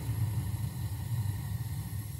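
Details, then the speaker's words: Burnham Series 2 gas boiler burner, installed 2004 (19 years old), three zones: after the damper stuck open without firing and the damper motor was tapped, the damper opens and the burner fires with a steady low roar, lighting cleanly and firing evenly. "the damper just opened and she fired I don't know if you can hear it could you hear that that's the sound of"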